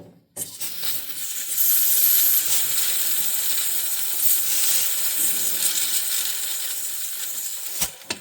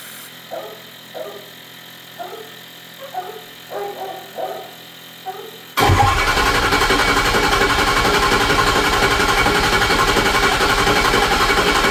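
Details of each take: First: 2006 Ford F-350 6.0 Powerstroke diesel, high-pressure oil system pressurised with air through the ICP sensor port, engine off: steady hiss, forward and deeper-sounding; owner suspects a blown O-ring at the standpipe plug leaking. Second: 2006 Ford F-350 6.0 Powerstroke diesel, first start after high-pressure oil O-ring repair and ICP-port air testing: about six seconds of slow even cranking while oil rails refill, then catches and runs steady; extended crank normal.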